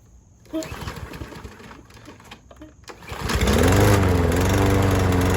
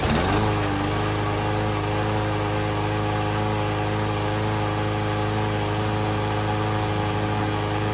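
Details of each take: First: Troy-Bilt TB110 push mower (not self-propelled), Briggs & Stratton 550 E engine, first run on a new replacement carburetor: it catches after a few pulls and runs rough with a wavering, hunting pitch. It runs worse than on the original carb; owner suspects the new carb is defective. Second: Troy-Bilt TB110 push mower with a Briggs & Stratton 550E engine, after new oil, fuel line, spark plug, ignition coil and starter rope, running on fresh gas. A steady, even single-cylinder putter with no misses; running pretty well, not quite 100%.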